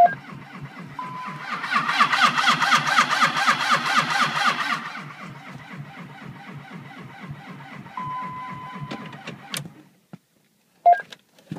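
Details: 2004 Dodge Ram 2500 Cummins 5.9 diesel, cold start attempt at -38°C without block heater: slow, laboured cranking about four beats a second that never catches, then stops; cranking, no start.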